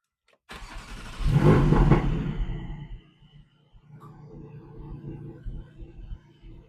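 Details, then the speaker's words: Porsche 718 Cayman/Boxster GT4/GTS-type car after fitting an exhaust valve controller, valves set open in the on position: starter catch, sharp rev flare, then deep steady burble settling to idle; normal start and idle with exhaust valves open. "So this car has got the valves open all the time. We're in in the on position."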